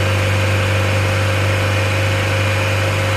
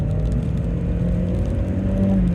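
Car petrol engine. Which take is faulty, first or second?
first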